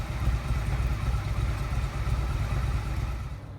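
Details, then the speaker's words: Yamaha XVS 1100 V-twin after carburettor service and valve clearance adjustment, freshly started: deep loping uneven beat typical of the engine, steady, no misfire or knock, sounds good. "so that sounded pretty good"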